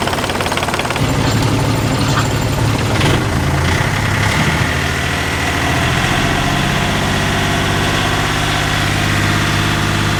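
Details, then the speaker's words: Yanmar 38 hp inboard marine diesel in a boat, owner complained of too much vibration and asked if all cylinders fire; heavy, uneven clatter settling to a steady low drum; excessive vibration at idle, idle adjustment planned. "as you can see it is vibrating a lot it's normal that you have some vibration but this it sounds and looks like it's a little bit too"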